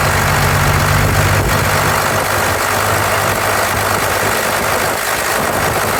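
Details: 1993 Dodge D250 with 12-valve Cummins diesel idling unevenly with a rhythmic stumble over steady clatter, one cylinder dropping out; misfire persists after new injectors, lift pump, shutoff solenoid, valve adjustment, fuel-can test, 400 psi compression on all six; injection pump suspected.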